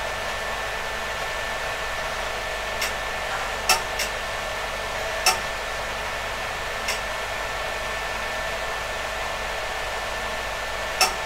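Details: PDP-11/34A vintage computer, top and bottom covers on, powered up with RX211 floppy interface refitted and booting: loud, even airy roar of its cooling fans with a few sharp drive clicks, noisy even at reduced speed, outside cabinet; normal fan noise.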